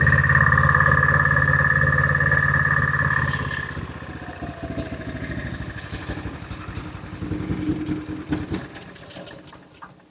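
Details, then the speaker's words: Honda-engined side-by-side ATV running rough: engine labours and sags, stumbles with scattered pops and light ticking as revs fall; suspected valve tapping under the valve cover and a valve not seating properly; carburetor reportedly needs replacing. Cause not confirmed. "Yeah, she's struggling a little bit. I'm hearing a little bit of valve, sounds like valve tapping going on underneath the valve cover. I'm hearing a popping noise like a valve's not seated properly."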